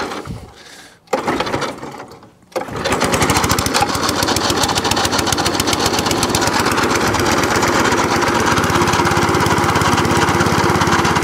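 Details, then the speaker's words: Cylinder mower on choke after new cylinder gear and pulley tensioner, revved up: settles into a steady, even buzz with the cylinder spinning, no clatter or grinding; running healthy, drive cable fault suspected. "Let's have a go. Bit of revs. Bit more revs. The cylinder's moving."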